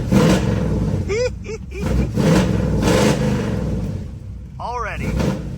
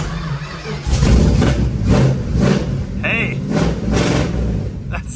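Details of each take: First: 1973 Dodge Challenger big-block V8 with HEI ignition: blips up unevenly with a hesitant catch and faint cough on the rise; a light off-idle stumble remains, the cough it has always had despite multiple distributors and HEI modules. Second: 1973 Dodge Challenger big-block V8 with HEI, fresh spark plugs and idle screws adjusted, cold start without choke: catches and settles into a steady, very high cold idle with all eight cylinders firing evenly; healthy start.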